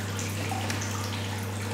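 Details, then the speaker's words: Darkroom film processor, baths filled with chemistry, being switched on: constant low pump hum with light water trickle as circulation starts in each bath; pumps running normally. "Et quand on allume, donc ici, on voit l'eau qui commence à circuler dans chaque bain."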